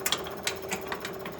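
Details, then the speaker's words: 1967 Chevy El Camino with an L34 396 big block, a barn find after about 21 years: a small electric pump emptying the old fuel gives irregular, sharp rattling clicks over a light hum, possibly because the tank is getting low. "i hear that fuel pump rattle on the way there"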